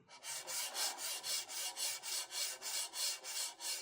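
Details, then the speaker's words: Sovol SV06 3D printer after replacing failed linear bearings with Igus Drylin RJ4JP-01-08 slides, carriage pushed by hand with motor and belt disconnected: soft, even swishing about three times a second, no clicks or grit. Slides smoothly. "And now [snorts] sounds a lot smoother."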